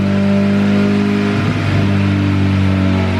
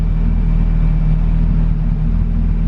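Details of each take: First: Honda Civic Si, 2200cc turbo on E85, Hondata S300 tune, returning to idle. The speed surges up and down in slow waves. Cause: a vacuum leak from a blown-off line between the back of the intake manifold and the blow-off valve. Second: Honda Civic Si (EK), turbocharged on E85 with Hondata S300, 2200cc Bosch injectors and a preliminary tune: low steady rumble at idle with no hunting, stumbles or misses; steady air-fuel ratio.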